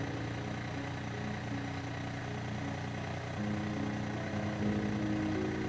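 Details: Yamaha FZ09/MT09 idling after clutch basket driven gear assembly replacement for the "gronk" rattle on low-rpm deceleration; steady, even idle with no rattle or clatter; the engine is idling normally.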